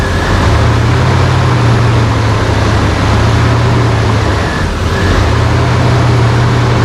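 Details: 1992 GMC Sonoma GT, 4.3 CPI V6, at start-up after idle-surge repair work: the low idle drone dips and recovers around five seconds instead of holding steady. This is a hunting idle from incorrect ignition timing.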